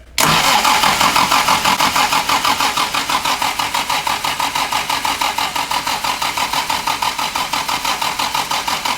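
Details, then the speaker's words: 1967 Morgan Plus 4 Drop Head Coupe, not run in years, in neutral: steady starter cranking about three beats per second with even compression pulses, never fires. "one more time stop I don't think it's getting fuel"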